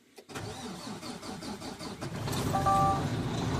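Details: 2022 Mack Anthem truck diesel (MP8, same as Volvo D13) with a crank-no-start, after pumping the fuel primer bulb until stiff: brief cranking, fires at about two seconds and settles to a steady, firm idle; clean start.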